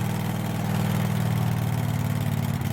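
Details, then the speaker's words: Craftsman mower that sat a couple of years, with a new fuel filter: runs but hunts, surging up and down; owner suspects the carburetor. "it's running sounds okay but it's kind of surging up and down"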